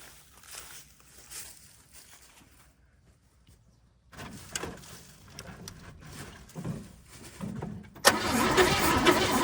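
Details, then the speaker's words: 1964 Buick Skylark 350 V8, sat in a junkyard 30–40 years, starter or battery slowing: starter turns engine in slow uneven bursts, never catches; crank no start, owner suspects a serious compression issue. "I think at this point a compression test is warranted because I believe we've got a serious compression issue"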